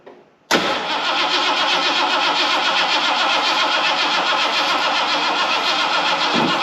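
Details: 1979 Ford barn find after fuel pump and fuel lines installed: engine fires straight away with a little gas and settles into an even, steady idle with no stumbling, running on its own fuel pump.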